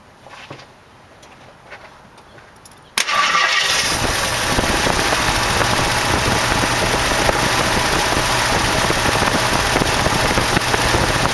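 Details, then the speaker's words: 1968 AMX Go Pack, original 360 swapped for a 401 V8, first start with fuel leaking: after quiet it cranks, catches, then idles roughly with a busy clatter. A lifter was later found worn through at the bottom. Finding: worn lifter tick, rough idle. "but the motor did fire doesn't seem to be idling very good but at least it fired"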